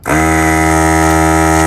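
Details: Desoldering vacuum pump running just after cleaning, while desoldering a 1975 Electro-Harmonix Linear Power Booster 2: steady, even low buzz with a reedy edge that starts sharply, holds without wavering, then cuts off. Cleaning made a big difference; pulls cleanly.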